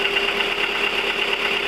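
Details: 1999 VW 1.4 16V: steady idle with light, fast, even ticking on top; engine ticking at idle, cause unconfirmed.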